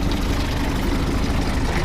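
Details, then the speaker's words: 1952 Willys M38 military Jeep, L134 Go Devil flathead four, already warm: low, even idle with steady rumble, no knocks or misses; normal idle. "sounds pretty good it's a uh l134 they call it the go devil you can see here it's a flathead engine"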